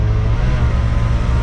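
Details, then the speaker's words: 1989 Dodge D250 revived after sitting over 12 years, just started: a steady, fast, deep drone with no stumble; idle is noticeably high, and the owner expects it to idle down. "Oo, that's a high idle. We'll let it idle down a little bit here."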